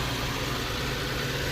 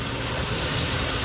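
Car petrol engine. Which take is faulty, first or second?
second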